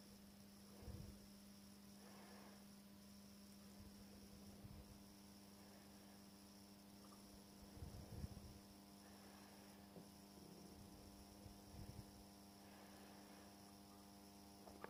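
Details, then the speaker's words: Welling 230 V AC induction pump motor from Galanz dishwasher on variac, voltage lowered below about 80 V AC without push-start: steady low hum, no spin-up; motor stalled at low voltage, self-starts around 107–108 V. "so the mall motor works at about 80 volts AC when we apply some assistance to it now we're going to see when the motor actually starts without giving it a little push"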